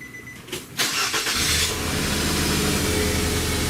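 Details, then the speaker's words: 2005 Nissan Altima cold start, very wet spark plugs, blown head gasket diagnosed by another shop: lumpy idle with an uneven stumble as a coolant-fouled plug misfires. "you can hear that miss. You hear that foul plug."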